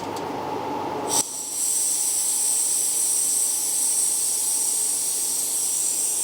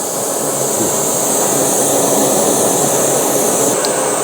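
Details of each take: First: BRS 3000T pocket gas stove, full blast, wind test with a fan blowing; loud gas hiss with no flame roar, mixed with fan wind; cannot be lit. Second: BRS 3000T pocket gas stove, full blast, boiling cold water (8.7°C) indoors at 22.7°C; steady even hissing roar, no sputter; boiled in about 4.5 minutes using 15 g fuel; normal full-power burner.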